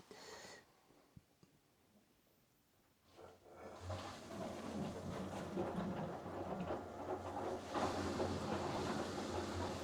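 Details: Machine after the program is stopped with it full of water: after a quiet start, a soft steady pump hum with rushing water rises and holds even, with a slow ramp down; normal drain pump emptying the water.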